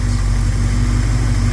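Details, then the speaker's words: 1971 Plymouth Scamp V8 idling with a steady, even low burble and no misses after a couple of vacuum leaks were plugged, timing unchanged. It runs smoothly and sounds healthy. "doesn't sound like she's missing sounds like gold"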